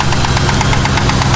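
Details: Truck running with no miss and perfect oil pressure: a quick, even ticking knock over a rough idle, seemingly from one side of the engine; owner suspects a lifter (actually anti-lash followers) and plans to pull the cover.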